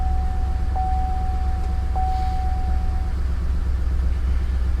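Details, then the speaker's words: Salvage-auction GM vehicle with shattered dashboard, listed run-and-drive: low idle thrum with uneven stumbling beats, about four a second, under a steady warning chime; engine misfiring at idle though it starts and moves. "runs what it's misfiring it moves yeah Wow I'm gonna shut it off that is insane that is crazy that it still starts and moves like that"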